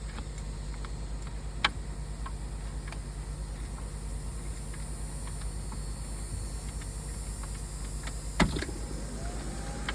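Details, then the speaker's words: Barn-find Bertone X1/9 at first key-on: a steady low electric hum with a few clicks as the blower fan runs normally, blowing cool air. Lights work, but the battery is not charging. "Oh, fan's going. We got lights. Battery's not charging."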